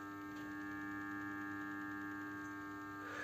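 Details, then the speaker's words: BMW E60 locked with ignition off, heard in the engine bay: faint steady electrical hum as a solenoid valve stays powered as if preparing to start, so the car never sleeps and drains the battery; cause found as a water-damaged intelligent battery sensor (IBS), terminal 15 fault. "es como cuando tú digamos tienes el vehículo cerrado y tú lo abres para subirte y empieza a tener tensión pues como la electroválvula como cuando se prepara para arrancar y parece que hay alguna electroválvula que mantiene tensión y no llega a entrar el coche en descanso"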